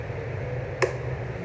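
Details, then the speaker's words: Britânia Turbo fan after motor replaced with a compatible good one; soft, even hum and airflow hiss with one tiny click, running smoothly and oscillating without rubbing or rattling, no noise. "Sem barulho nenhum, tá vendo? Nada de barulho."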